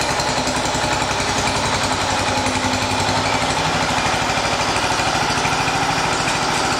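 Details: 1980 John Deere 212 single-cylinder engine after crank seal replacement, cold day, run to check for leaks: brisk, even putter at steady speed, no misfires or knocking; normal running.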